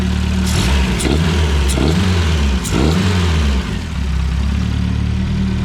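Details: Renault 5 GT Turbo engine after rebuild and first start, injectors dialed in and base idle set: several quick throttle blips rise and fall cleanly and settle to a steady idle with no stumble or misfire; runs right.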